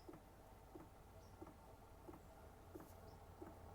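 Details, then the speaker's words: New Hcalory Tool Box diesel heater at startup. Soft, regular ticking of about 1.5 per second as the fuel dosing pump kicks on; normal metering. "And when it's on the very lowest setting here, the pump just came on."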